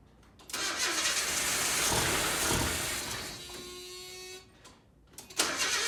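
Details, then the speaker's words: 1987 Nissan D21 hardbody, 53,000 miles, seized engine after sitting 30 years, freed, new plugs, 30-year-old gas: long harsh cranking, briefly catches, pops and stumbles but won't keep running; hard start. "okay so after sitting for 30 years with a stuck motor it's running going to burn off all the junk in it"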